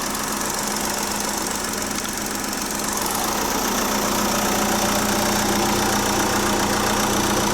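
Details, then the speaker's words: Chausson motorhome engine idling smoothly and evenly with a steady low hum, no misses or knocks, just after a jump start; engine battery had gone flat after sitting unused since January, drain suspected. Normal idle. "Yes. Thank God for that. I'll leave it running for a bit now."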